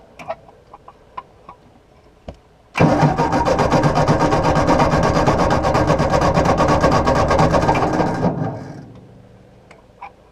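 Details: 1953/1954 Ford Golden Jubilee NAA tractor, sat over 20 years, 6-volt starter run on 12 volts: steady even cranking about five seconds, never fires. Good spark and fuel to carburetor; too much Marvel Mystery Oil on plugs suspected.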